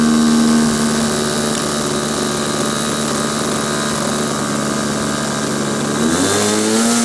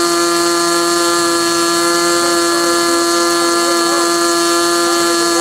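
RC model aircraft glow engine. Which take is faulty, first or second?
first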